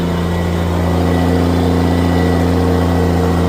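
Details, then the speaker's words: Old tractor barking hard after an upshift while baling barley silage. A deep, steady note holds even under heavy pull with no knocks or misses; the engine sounds healthy working hard. "Oh God, yeah. There we go. You heard her bark. You heard her bark here first, boys. You heard her bark."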